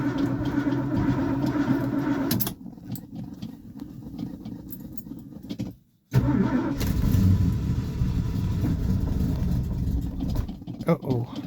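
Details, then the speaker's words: Big-block Ford cold start with no fuel and no working choke; long uneven cranking, brief stall, then it catches and runs rough and lumpy, "running but not running"; fuel-starved cold start. "that sounded kind of rough she running but not running"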